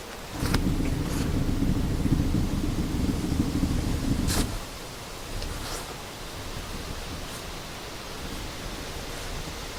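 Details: 1995 Volkswagen Jetta 1.9 turbo diesel worn rear tapered roller wheel bearing, recorded close up: deep, rough rumble for about four seconds, then dies away.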